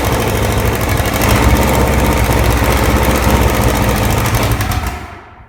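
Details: Original, very-low-mile 1968 Buick 430 V8 (ex-'68 Riviera) after fixing a bad ground at the distributor points, first run in decades: it catches and runs with a steady, even beat and no misfires, then shuts off, firing on all cylinders.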